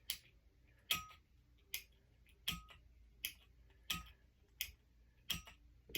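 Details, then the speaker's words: 1995 SMC ceiling fan pull-chain switch, after its dirt-packed contacts were sprayed with cleaner and left to dry: eight crisp, clean clicks with no gritty crunch, so the switch now works like new. "That switch feels like brand new. It's not crisp. It's not what I call crispy. It's not like crunchy anymore because it was packed in with dirt."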